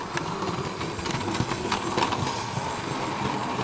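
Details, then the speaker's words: Bachmann SE&CR C Class 0-6-0 OO gauge loco, straight from the box and untested, running light with no load: a steady, even motor whirr with light rail clicks and no stutter. It runs smoothly. "so now we come to the running performance for the c-class and as you can see she runs smoothly which is how we expect these mods to run when they're open straight from the box"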